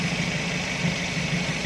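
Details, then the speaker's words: Daihatsu Gran Max whose idle RPM wouldn't drop, after repair; steady even low idle estimated around 800–900 rpm with no knocks or misses, settling smoothly; normal idle. "langsung jos bro. RPM perkiraan 800, langsung jos."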